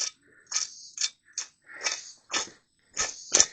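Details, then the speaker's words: Farmall Cub bearing from the removed part, hand-spun about eight times: dry, raspy hissing bursts fading as it slows; rough, gritty and shot, which the owner attributes to long oil starvation, with its retainer found installed backwards. "She's rough and gritty. She was shot because I'm going to venture to say it was not getting any oil for a long time or keeping oil."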